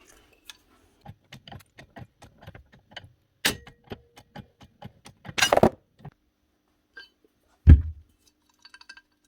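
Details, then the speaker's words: Old Festool/Mafell/Virutex power tool bearing, over 20 years old, spun by hand after removal: irregular dry ticks and clinks then a clunk as it's set down; bearing gone or at least slack, being replaced. "Already hear that bearing's gone, or at least slack."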